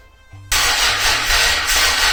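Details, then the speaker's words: Rocketeer V6 kit (3-litre) swapped into Mazda MX5, first start attempt: steady even cranking for about two seconds but never fires; fuel pump and main relays swapped without success; fuel pressure about 2 bar, 3 bar advised, so the regulator will be raised next. "looks like neither of those solved the problem, so I think what I'm going to try next is just increase the fuel pressure from the fuel pressure regulator."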